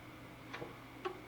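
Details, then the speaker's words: Filastruder 2.1e filament extruder heater set for ABS, temperature swinging between 170 and 190 under the PID controller: two crisp relay clicks about half a second apart over quiet background. The heater relay is switching on and off normally. "Yeah, you can hear and see the heat switching on and off."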